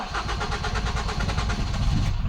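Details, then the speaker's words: Ford Focus that starts then stalls: ignition on and cranking, the engine barely catches and dies as the fuel pump loses power; the non-standard radio lock (immobiliser) relay is cutting pump power, with the fuel pump relay in the passenger-side block. "Сейчас буду включать зажигание и пытаться заводить. Как ведет у нас сегодня себя бензонасос. Он отрабатывает запуск. При попытке"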